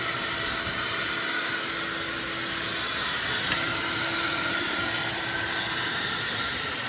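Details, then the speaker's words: R53 Mini Cooper on jack stands, front end started, wet/dry vac blowing into exhaust: steady rushing air hiss over quiet engine with faint puffing; leak felt past flex pipe toward catalytic converter: exhaust leak. "W drive back is on let start the front end well I'm hearing air hearing a lot of air"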